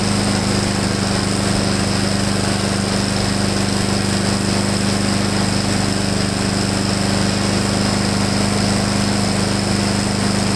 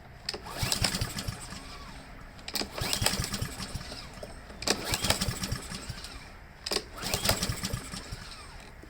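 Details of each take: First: Husqvarna mower after clogged main jet cleaned, gas drained and refilled with fresh fuel plus Seafoam: loud, steady, even drone at constant pitch, no surging or misfiring where it hunted and surged before. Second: Husqvarna lawn mower that earlier needed help to start and hunted and surged badly: pull after pull about every two seconds, the engine turns over but never fires; fuel starvation from a clogged carburetor main jet.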